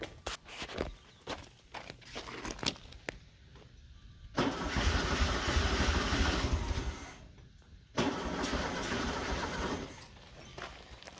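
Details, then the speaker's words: 1974 VW Beetle with freshly installed 1641cc engine, throttle applied, fuel spraying: uneven cranking, catches for a few seconds and fades twice; hard start with choke not closing. "gotta find that magic touch not having the choke closing is definitely not helping us for sure"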